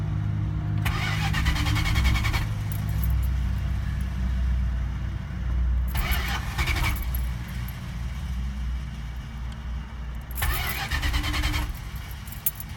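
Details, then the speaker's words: 1980 Chrysler Cordoba 318 V8, lean burn removed and converted to electronic ignition, stalled while bringing revs down from about 2,000–3,000 rpm toward 1,000: three long cranking bursts with pauses, no catch; took about 10 tries to refire. "About, what, 10 tries to get it to fire back up."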